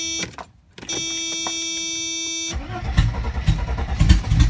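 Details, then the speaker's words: 1992 Mercedes 300TE with no cat or muffler: chime, then rough uneven cranking with no throttle, never fires; owner suspects inconsistent spark or fuel coming from only some injectors; cranks but won't start. "so you see it sounds like it's got inconsistent spark to me it could be that maybe it's only getting fuel out of some of the injectors"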